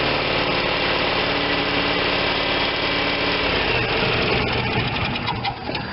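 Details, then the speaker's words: Vermeer BC625A brush chipper, Kohler Command Pro 25 twin-cylinder gas engine: fast steady beat then pitch sags and settles lower, not holding full speed; throttle won't stay in position, owner suspects a bent part. "the main problem that i'm having with at least with runability is the throttle will not stay in its position and you want these running at full speed all the time and it won't do it"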